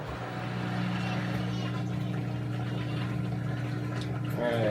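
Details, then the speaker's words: LG washing machine that would not drain, after drain pump replacement (part 4681EA2001T; old impeller loose), rinse-and-spin test: steady, even low hum as the new drain pump runs smoothly and drains fully. "and it looks like it drained everything out got a little bit of soap residue there looking good"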